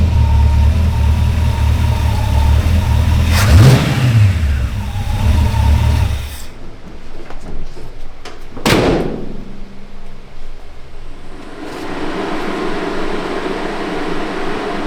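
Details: Restored GMC 9434 1-ton V8 truck after correcting a spark plug mistake (it had run on seven cylinders): deep even rumble, sharp rev blip, then pull away on its first drive; all cylinders firing, normal running.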